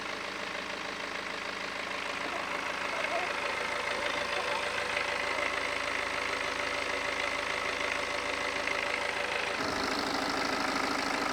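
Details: BMW E91 LCI diesel, used replacement engine with new timing chains; even steady idle clatter, no knocks or misses, AC on lowest and heat on max; normal idle.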